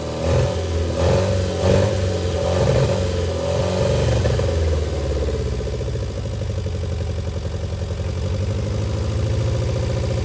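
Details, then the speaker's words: Austin Healey Sprite barn find, first start after freeing seized engine and refitting head, twin carbs, choke held, jump pack: small four-cylinder runs unevenly, revs swelling and dropping with throttle, then settles to a steady low beat; engine runs. "okay it looks like it runs that's all i have time for today"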